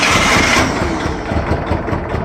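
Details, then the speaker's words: Cold start of a 1966 Clark 2500 lb pneumatic forklift, gasoline flathead four-cylinder Continental, after sitting six months, just flooded on full choke: engine stumbles and lopes unevenly with no steady beat, rough cold idle from a carburetor issue. "She'll go. Little carb issue on her. Cold."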